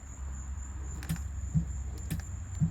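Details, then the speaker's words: 1989 Mustang GT 5.0 nitrous kit install, testing solenoids with the throttle switch: crisp single clicks about every half second over a quiet background; the solenoid operates normally and tests good. "we just got it so we can check it and we've got our Purge into the motor I'm going to assume that you can hear that"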